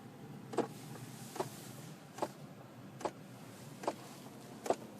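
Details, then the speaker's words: 2002-2010 Ford Explorer driven warm with heat turned on: a sharp, steady click about every 0.8 s from the centre console stack by the feet. The blend door actuator is skipping on stripped gears, leaving no heat. "It's coming from down here by your feet in the center console stack. And it may go away if you turn it a little further, and will definitely go away if you turn it back to where it failed."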